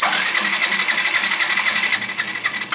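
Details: Yamaha FZ Fi BS6 cranks quickly and evenly with light rapid pulses for about three seconds but won't fire. Key is on and current checks fine, so the fault lies elsewhere; the wiring was cut in places.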